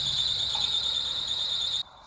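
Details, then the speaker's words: 2003 Lexus RX300 with VSC light always on and airbag light intermittent, just started: steady high-pitched squeal at idle that cuts off abruptly; owner suspects the alternator pulley, mechanic not yet consulted. "What is that sound? Could it be the alterator pulley? Maybe. But that's why we're going to the mechanic."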